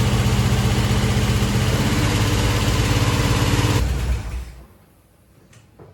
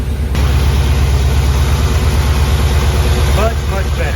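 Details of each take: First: Chevy Nova rebuilt engine just after start-up: even idle with a quick, regular top-end tick about four per second until shutdown; a loose rocker arm, gone after tightening and readjusting. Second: Budget Chevy Nova V8 after engine rebuild and reinstall (two pistons had been installed backwards causing slapping; a loose rocker was then tightened and readjusted): steady, even idle with smooth low rumble, no ticking or tapping; the noise is gone.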